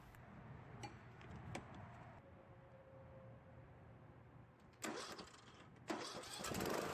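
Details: John Deere riding mower stored for years that stalled while cranking, after a valve lash adjustment, started by jumping the starter with the carburettor bowl filled: a quiet, steady low putter at an even idle; running normally.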